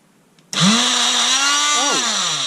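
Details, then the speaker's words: Einhell oscillating multitool with long-standing stop-start fault: motor kicks in suddenly from silence, then wavers in pitch as it runs; intermittent cut-out from a burnt brush terminal connection. "oh no it stopped again so it's stopping and starting of its own free whe"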